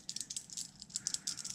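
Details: Hand-spun bearing removed from a Peugeot 207 1.4 HDi gearbox (same on 206, Bipper, Berlingo, C3) gives a loose, gritty rattle of uneven clicks; worn and due for replacement.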